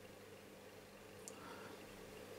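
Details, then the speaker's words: RadioMarelli RD272 West valve radio while adjusting the oscillator trimmer: low steady hum in the speaker under the hiss; hum fault, cause unknown. "Sì vedete a si sente anche un ronzio eh in cassa quindi probabilmente qualcosa capita"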